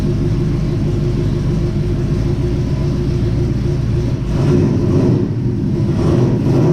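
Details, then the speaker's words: 1967 Chevy C10 with new Holley Sniper fuel injection fires right off once the handheld loads, then idles in gear backing out: quick start settling into a steady, even low rumble without misses or knocks; normal start and idle. "She fires up better than any other sniper I have ever done. Like best best that could be. You hit turn the key on, let your handheld load up, boom, fires right off."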